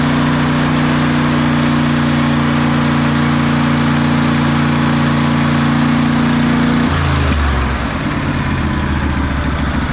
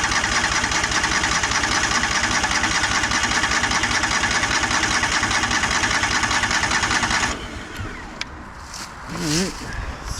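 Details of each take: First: 2004 Craftsman DLT3000 lawn tractor single-cylinder engine idling smoothly after carb cleaning, fresh gas and new fuel lines, note dropping near end; normal idle. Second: 2004 Craftsman DLT3000 lawn tractor after carburetor cleaning, first start attempt: steady cranking about seven seconds with only a hint of catching, then quiet; cranks but won't start.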